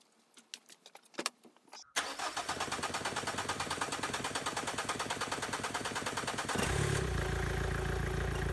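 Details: 2003 Renault Clio 1.5 dCi 65 hp diesel after fuel filter replacement and hand-priming: after earlier attempt died, a couple of short cranks, catches about two seconds, settles into steady even clatter at idle, no misfire; normal start and idle.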